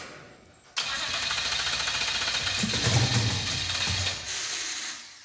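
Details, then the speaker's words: 1974 Mazda RPU "Mazdarati 2.0" with a turbocharged mid-mounted 5.3L LS4 catches and screams to unchecked high revs; throttle stuck wide open. "it made noise throttle stuck open much it's also in Reverse yeah it was spinning backwards but also didn't it rev to the Moon"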